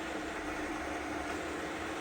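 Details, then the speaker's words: Fil (Italy) FA 120 dual-spindle bed milling machine, horizontal spindle (ISO 50) at maximum 1200 rpm: even quiet hiss with faint steady hum, no knocks, grinding or whine; silent even at high speed, normal running. "Working at its maximum spindle speed, that is 1200 rotations per minute. As you can hear, there is no noise at all. Even at its high spindle speed also, it is silent."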